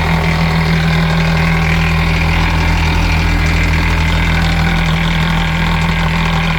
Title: Mercruiser Bravo 2 rattle noise